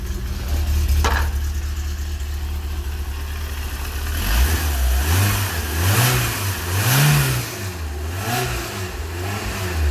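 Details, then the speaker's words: Fiat X1/9 Bertone with aftermarket advanced cam gear, ignition timing set to about 10–12 degrees and timing belt tightened; smooth even idle and clean free revving blips, no misfire or knock; runs well. "I'd say that's quite on the timing marker there. 10 to 12. Oh, that sounds nice."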